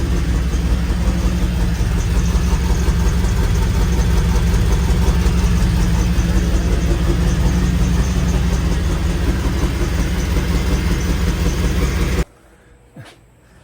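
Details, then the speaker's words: 1995 Pontiac Firebird Formula with a Corvette LT1 swap, idling after an exhaust leak repair attempt: steady V8 rumble with a faint, even puffing tick in time with firing. Much quieter, but a small exhaust leak remains. "right so it's a lot quieter than it was but it's not perfect it's still got a small exhaust leak"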